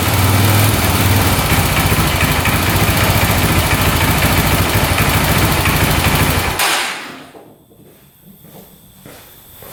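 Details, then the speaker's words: 2004 Honda 400EX quad first start on choke with new spark plug and new carburetor: loud uneven single-cylinder running with a hard regular knock, no smoke, won't hold idle and dies; engine knock and rough idle. "far, no smoke, but it sounds like it's knocking pretty good, doesn't it? Doesn't sound the greatest."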